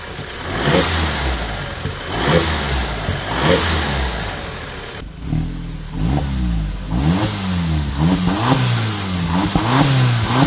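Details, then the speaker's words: 2015 Audi TTS, after locksmith programmed the key: several quick blips, note rising and falling cleanly with no knock or clatter; healthy engine revving freely and no longer shutting off. "And check this out. It runs and it doesn't shut off."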